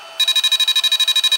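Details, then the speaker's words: Drone remote controller after case reassembly: fast, high-pitched chirps, about ten per second for just over a second, are a warning that means don't launch; a potentiometer possibly needing contact spray is suspected as the cause. "got a problem. Don't launch it. Shut it down. Figure out what's wrong. Maybe your potentiometer needs contact spray, but you'll have to dig into that."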